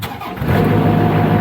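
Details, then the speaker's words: Niftylift HR21D SP64D MK2 diesel engine starts instantly and runs steadily after repairing a wire that was blowing the fuse and causing error 01009B05 (under voltage); relays click, no faults remain. "let's try see if you have any more errors yeah so now i can hear the relays clicking"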